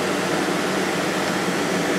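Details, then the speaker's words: 2014 GE 8,100 BTU window air conditioner (Gree compressor, KB fan motor, clean condenser coils) switched from medium to high fan: steady even rush of air with smooth hum, no rattles, putting out a ton of air; normal operation. "got the GE running on medium right now let's go up to high speed thing is putting out a ton of air"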